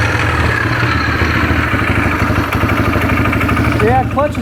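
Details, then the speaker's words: 2009 Arctic Cat DVX 300 ATV idling in neutral with the primary case open: steady single-cylinder idle with a busy rattling chatter on top, louder than it should be; primary clutch suspected, unconfirmed. "just sounded like there was something going on in this primary clutch."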